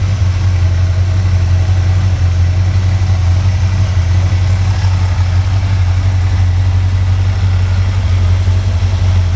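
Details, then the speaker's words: V8 engine pulled from the truck Creampuff, just started on a test stand with exhaust fitted. Deep, steady rumble with an even beat and no misses, ticks or knocks; a smooth, healthy idle. "Of course, this motor Idle's real nice and smooth with the factory cam, I guess."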